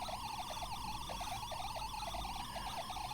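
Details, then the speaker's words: Homemade tape drive (Tapeshnik) with newly installed R/W head, 9 V supply, playing a test tone at turbo speed: constant chattering warble, pitch wobbling rapidly. Unstable tape traction velocity, momentary speed varying about 50%, heavy wow and flutter. "If I were to record audio, obviously it would not be very serviceable. For data, there is a variation in momentary tape velocity about 50%, but it never happens"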